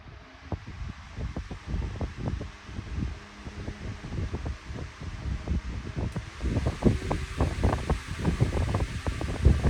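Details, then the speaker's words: Lakewood 9-inch high-velocity wind machine fan on low after a balancing attempt: uneven low thumping about once a second over a steady airy rush; fan blades still out of balance. "Okay, this was a fail. The blades are definitely still out of whack."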